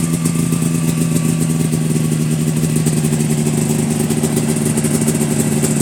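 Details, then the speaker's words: 1999/2000 Yamaha Phazer 500 two-stroke, cold start at about minus 16–17, after new pistons, top-end gasket kit, fuel lines, carburetors and oil change: even quick burble settling into steady idle, no knocks or misfires; running healthy. "so besides that it runs great the after we put the new pistons in it change the oil runs good so really there should be no more problems with this"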